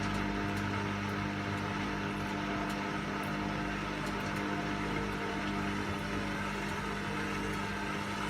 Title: Wash and spin and clicking noises